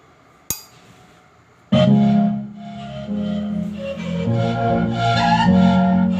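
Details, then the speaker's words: Transistor amplifier repair, one channel reported distorted/cracking: music plays through the good channel full and clean with no crackle, buzz or breakup; this side is OK, fault is on the other side's board. "तो दोस्तों, ये वाली side हमारी okay है।"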